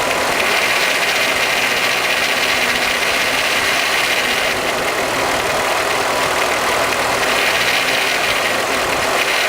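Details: Golf VR6 Mk3 petrol engine idling with a constant metallic clatter from a worn, slack timing chain; timing chain rattle.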